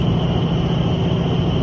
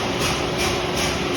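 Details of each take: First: Paint sandmill before bearing replacement: loud steady low rumble with rough gritty hum and faint high whine; owner suspects worn bearings. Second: Paint sandmill after bearing replacement and screen cleaning: steady mechanical whir with soft even pulse about every half second, no grinding or knocking; running normally.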